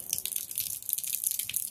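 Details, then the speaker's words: Downstream chemical injector on a pressure washer line, pressure hose connected: irregular hissy sucking and slurping as it draws chemical; siphoning normally, suction felt; high pressure would stop siphoning. "now listen to that hear that noise means it's not trying to siphon anymore it's trying to siphon"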